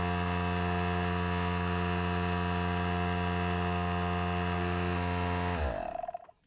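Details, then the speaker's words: Harbor Freight Central Pneumatic 95275 pancake compressor, over six years old, only reaching about 25–30 psi. Steady low hum with an even pump beat that never labors under rising load, then winds down: the discharge tube is broken. "the most this will go up to is about 25 almost 30 pounds of pressure it was working fine and then it just stopped"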